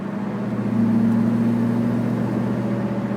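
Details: Chevrolet Camaro driving: steady low hum under the road noise; owner suspects a bad wheel bearing, not confirmed.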